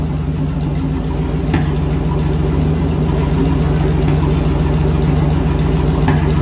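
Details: Turbo burnout car build on its first start: steady, even V8 rumble at idle with light throttle rises, no knocks or misses, before the turbo kit is fitted and with no alternator belt; engine runs healthy.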